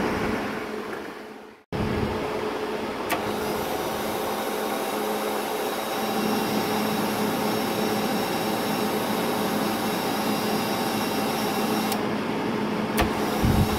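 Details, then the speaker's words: Hobart 135 MIG welder wire feed motor, which used to slow and stop after a few seconds, now with the thermistor bypassed: steady, even whir holding speed without slowing or cutting out; feed running normally, thermistor identified as the faulty part. "so you could hear that bypassing that thermistor basically takes care of the issue so it's a one easy way to narrow down to what the component problem is"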